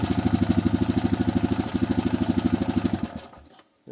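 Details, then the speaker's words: 2007 Honda Rancher 420 ATV after a valve adjustment, running without its air filter: a brief rattle at first crank, then an even, quick single-cylinder putter with no valve clatter before shutoff; healthy idle with the valves good and tight. "sting my rattle just a little bit right when it first cranked but wants to all gets to the top in it should quiet down pretty quick"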